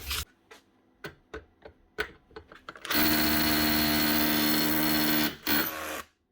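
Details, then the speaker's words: Makita 18V cordless SDS drill under hammering: motor runs about two seconds, drops out, catches briefly, dies again; cuts out intermittently when rotated certain ways, trigger switch or battery suspected. "now not good [Music] no still doing it must be something else only doing it when rotate the drill certain ways"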